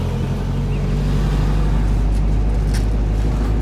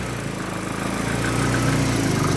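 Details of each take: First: Nissan 300ZX with KA24DE swap on a Link Fury ECU and turbo-ready harness, while being tuned: smooth, steady low rumble at a constant idle speed with no stumble, knock or hunting; engine running properly. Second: Nissan 300ZX with KA24DE swap on a new Link Fury ECU, just after first start: idle steady but soft and dull, with a lazy, muffled beat; ignition timing set well retarded.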